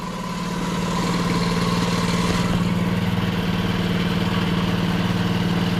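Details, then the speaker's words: Pit bike (Baja Dirt Runner 50 or 90, or SSR 72cc) that sat for years, started with the kill switch unplugged, oil full: small single thumps at a quick, even beat, no misses or knocks; normal idle. "sounds good I did take the oil it's full of oil and it doesn't look too old I'm just going to let it run for a second"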